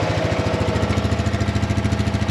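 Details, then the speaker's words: 1999 Polaris Sportsman 500 ATV after cleaning clogged carburetor jets, with a small fuel line leak, no smoke: quick, even single-cylinder thumping at idle with no misses or stumbles; normal idle. "good news clean the carb she fired right up it is leaking gas a little bit so I uh it's like a line ass to replace but it looks good sounds good I don't think it's smoking at"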